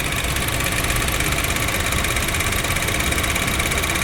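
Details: Honda Jazz GK idling with A/C on: fast uneven tapping and faint high whirr; mechanic suspects a bearing or the A/C/alternator belt, unconfirmed.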